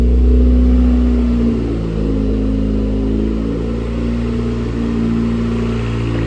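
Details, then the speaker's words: 2008 Dodge Caliber SRT4 with built 4B12 (forged pistons and rods, ACL bearings), first start: steady idle with a busy whirring clatter from the belt-driven front accessories; air compressor suspected, not confirmed. "Um, there are a few things to check out. Uh, one of the accessories, I think it's the air compressor, is making a ruckus."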